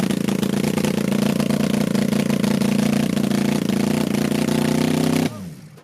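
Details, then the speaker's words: 1980 Honda CB750C engine in half-scale NASCAR kart, after moving ground to a better ground: steady slightly uneven buzz about five seconds, then sags and stops; starts but won't keep running. "that definitely worked better it was starting up way nicer but then over just died"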